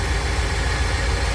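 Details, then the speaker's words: 1999 Chevy Express 3500 van idling low and uneven with a lumpy, shaky pulse after a no-start repair; rough idle, ignition timing still to be checked once fully warm. "para el motor se siente tembloroso voy a checar el tiempo pero tengo que dejar que caliente bien"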